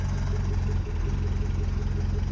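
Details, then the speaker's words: Mercedes W115 cold start after a compression test, fuel pipe left disconnected: the petrol engine idles evenly, then sags and falters as fuel runs out. Fuel starvation stumble. "but just listen to how that sounds from a cold start and actually we're running out of petrol there's hard there's no petrol coming through"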